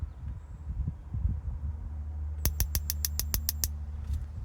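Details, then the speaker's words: Weber E-310 natural gas grill, new aftermarket igniter box with battery, tested before installation by pressing the button: over a low outdoor rumble, eight or nine sharp even clicks about eight a second; igniter sparking properly, wires fine. "And press the button and listen for the spark. So I hear the spark. You can also look for the spark on each burner."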